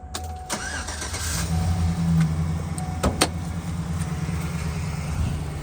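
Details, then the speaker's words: 2008 Chevrolet Silverado 1500 LT, 5.3 V8, 253k miles, start-up: quick crank, fires at once and settles into a smooth, quiet, steady idle with no ticks or knocks; engine sound normal. "Engine is very smooth, fires right up, nice and quiet, very powerful. Exhaust sounds great as well."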